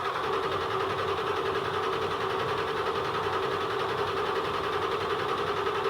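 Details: OBS Ford 7.3 Powerstroke diesel idling right after replacing the injectors and reassembling the valve covers and top end: an even, steady clatter with a strong mid-pitched ring and no misses or knocks. Some smoke is expected initially.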